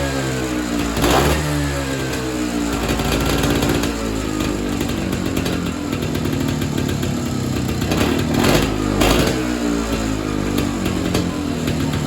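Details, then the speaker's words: Evinrude Bobcat 25hp snowmobile sat 20+ years, carb diaphragm stack reinstalled: buzzy two-stroke surging and sagging, won't tune steady; owner suspects an air leak or the hardened carburetor diaphragm and plans a kit. "The Bob Rat isn't running the best. I can't really tune it. So, I'm suspecting either air leak or that diaphragm that was hard in the carburetor's probably giving us trouble and I'll need to get a kit."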